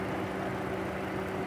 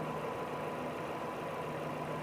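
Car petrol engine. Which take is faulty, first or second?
first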